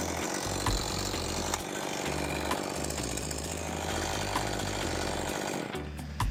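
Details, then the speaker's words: STIHL MS201TC chainsaw test-run after a complete engine rebuild for zero compression: the small two-stroke buzzes crisply at idle and revs cleanly with a steady beat and no misfire; it is running healthy again. "I'd say that sounds pretty good. back up and running."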